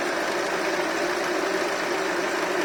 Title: Honda Accord K24 rattling noise 2